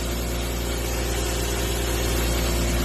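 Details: 1994 BMW 325 (E36) idling smoothly with an even low hum, no hiss, stumble or hunting, after smoke-testing for a vacuum leak following mass airflow sensor fault code 1215; normal idle.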